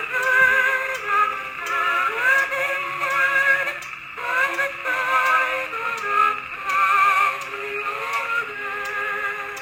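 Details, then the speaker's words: Victrola wind-up phonograph after a broken gear and pinion were repaired, playing a spare record. Tinny, harsh music with a wavering, buzzy edge on every note: the worn reproducer needs new gaskets. "Anyway, that should sound much better than that, but that reproducer is garbage."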